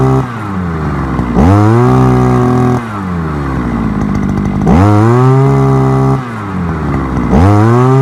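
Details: Forte two-stroke petrol brushcutter, outdoors after piston kit replacement for lost compression and knocking (owner blames bad or no oil): snaps to high revs, drops back, climbs again; clean even buzz, no misfire or knock, healthy.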